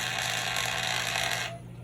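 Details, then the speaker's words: Old drone motor rewired onto the flashing light circuit; thin buzzing motor whine runs steadily then cuts out abruptly, pulsing on and off with the lights after a delay; intermittent operation is intended by the rewiring. "because the motor is hooked up to the same circuit that the lights are it goes on when the lights go on"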